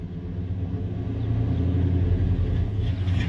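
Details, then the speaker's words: Truck, engine dead cold: starts and idles fine, but with a little throttle it gives a deep, lumpy, uneven lope like a cam; owner suspects throttle position sensor, also considering vacuum leak or fuel pump. "sounds like has a cam in it which it's pretty cool but it shouldn't be doing that [Music] so that's why I'm thinking it's a throttle position sensor"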